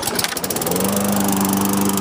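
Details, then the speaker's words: 2007 Toro mower with a Tecumseh engine. Primed three times, it fires on one pull and settles into a steady, even high buzz with no surging or misses; it runs and drives properly. "Yeah, fires up 1 pull. Runs good, drives good too."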